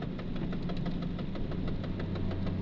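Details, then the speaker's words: VAZ 2110 while driving; fast regular knock, roughly eight to nine a second, over a low drone; grows with throttle under load, nearly fades when lifting off, silent at idle or standing; cause unknown, owner asking; knock under load. "Вот такой звук есть, когда газ даешь под нагрузкой, увеличивается."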